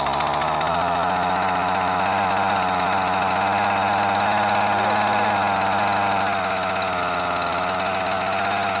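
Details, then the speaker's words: Curb-found Husqvarna 128CD two-stroke trimmer, first start: buzzy high drone at fast idle with a wavering, slightly burbling beat; running rich and a bit unsteady. "Yeah, that's running rich. We'll leave it at that."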